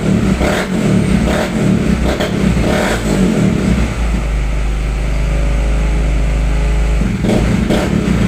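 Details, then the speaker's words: Raider J110 single-cylinder motorcycle that wouldn't start, after repairing two cut wires and restoring stock rectifier wiring: crisp throttle blips then steady, even idle with no misses or knocks; runs smoothly. "So yun mga boss no after na maayos yung wiring ni boss no so ang nangyari May naputol na dalawang wire so Tin race yun tapos ah itin up lang no"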